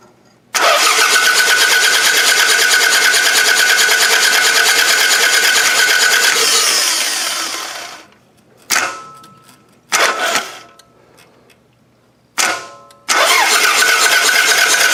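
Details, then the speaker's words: Toyota Camry demolition derby car that has already raced: fast, even cranking whir for seconds, then short retries, never catching; no start even on quick start spray, timing belt found broken, so no compression. "But, yeah, so this timing belt is junk. That's why this motor would just not fire there."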